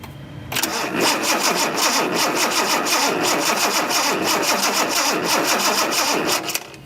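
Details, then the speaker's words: 1976 Datsun 280Z fuel-injected engine cranking with new spark plugs and spark tester: steady fast starter churn about three beats a second for six seconds, never catches; no spark. "Still no spark, so that's really strange."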